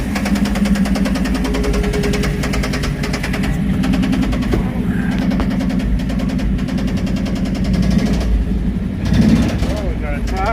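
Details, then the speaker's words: 1979 K5 Blazer first start after sitting, fed from a gas can via mechanical pump, has oil pressure: rough idle with loud steady clanging knock; owner thinks external, maybe flywheel, not internal; cause unconfirmed. "What in the world is smacking around? That is not internal, I know that. That sounds like something on the outside clanging. Flywheel, maybe?"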